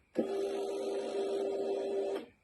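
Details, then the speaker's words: Honda CBR600RR with the ignition key deleted, powered through a simulated ignition switch plug: steady mid-pitched electric hum for about two seconds, then a clean cut-off; the fuel pump primes normally. "here is a simulated ignition switch plug that in livens up the dashboard for work so you can hear the pump prime"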